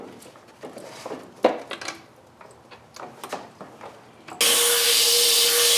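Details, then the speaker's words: Boost leak test of the intercooler piping pressurized to just under 30 psi (the car runs about 20 psi of boost): after handling noises, a loud, steady hiss of escaping air; a replaced coupler is not sealing and will be redone. "as I feared this is not sealing well so I'm going to redo that"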